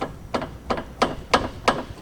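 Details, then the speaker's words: S2000 project car being converted from a turbo F-series to a K-series engine; a loose, unsecured interior bar shaken by hand gives five sharp metallic clunks about every third of a second. Loose bar clunk. "can hear it it's not actually tight or secure in any way"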